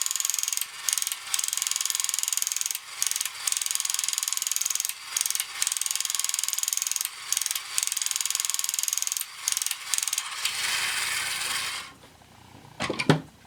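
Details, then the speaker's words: Kamco Saturn/Iron Man toy robot from the early 1980s, run on battery: fast, crisp ratchet clicking in repeated bursts with brief pauses as the gears switch between display and walking legs, then it stops; gearbox working properly. "which allows this to move away from the gear that turns the display and then reconnects to the gear that makes the legs go. And it starts the process all over again."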